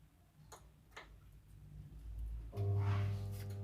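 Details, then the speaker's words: Washing machine motor that got wet, after replacing the capacitor: faint ticks then steady low mains hum with no run-up on one side, the other spinning slowly; motor winding faulty, needs rewinding. "Tetap dengung sebelahnya, yang sebelah muter biasanya, tapi pelan tuh. Jadi udah jelas ini mesinnya teman-teman ya. Mesinnya harus digulung lagi."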